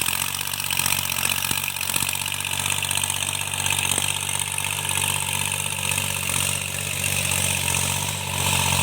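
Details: Tractor diesel cultivating under field load after an engine knock was repaired: steady, even drone with no knock or tapping; runs healthy.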